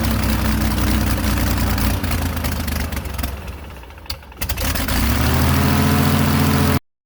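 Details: Airboat engine holding a fast steady idle near 1200 rpm (should be 450–800), dipping briefly then climbing back, won't settle low.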